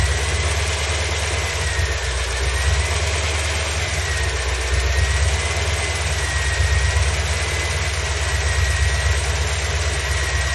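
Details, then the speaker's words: 1987 C4 Corvette petrol engine, after a home repair of the belt tensioner's worn bushing, idles with a steady low rumble and the earlier belt squeak gone: normal idle, no belt squeal. "all right much better so I'm gonna go ahead and throw a belt on"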